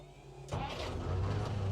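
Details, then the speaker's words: Jeep CJ5 with freshly tuned carbureted Hurricane 4-cylinder, electric fuel pump, fresh oil change, in neutral: engine catches instantly on half a crank without throttle and settles into steady, even low idle; normal healthy start and idle. "Oh, did you hear that sewing machine? Didn't even have to give it gas. But I only did half a crank."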